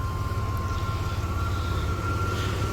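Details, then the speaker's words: 1993 Chevy S10 Blazer after engine install, idling slightly hot with good oil pressure: thin steady high-pitched alternator whine over low idle, charging hard; owner suspects battery going bad. Alternator whine. "Alternator's pretty noisy. I think that battery's going bad. Keeps charging real hard, but it's running good."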